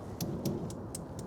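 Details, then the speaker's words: Brand-new Monument Grills 35633B infrared propane grill, very first light, burner on max outdoors in light wind: crisp, even electronic igniter ticks about four a second; lit first try, working properly. "You hear that nice tick, and look at that. First time, very first light on this grill, and it worked like a champ."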